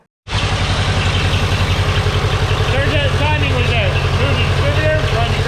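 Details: Ferguson TEA 2085 tractor, thought to be a 1951, after a new cap and rotor and correcting an initial backfire; catches quickly, then steady even idle with regular firing pulses, no misses; runs great; normal idle.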